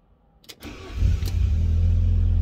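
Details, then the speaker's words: Fiat Barchetta with 97,000 km, sat in a garage for years, start-up listening for cam variator: brief crank, catches within a second, steady idle with no clatter; variator reasonably quiet, customer likely fitted a replacement already. "variated reasonably quiet I think the customers put one in anyway so we'll see if he wants me to change that along with it"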